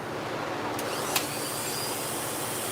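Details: Dog-grooming clipper blade just sharpened on a lapping machine, socket tightened after it ran noisy: steady, even buzz with no rattle, apart from one brief tick; blade runs smoothly and cuts.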